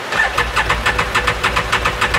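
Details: 2018 Odes 1000 X2 LT UTV that died and won't restart, cranked with front injector removed to check spray: starter spins at an even rhythm, never fires; some fuel seen from the front injector.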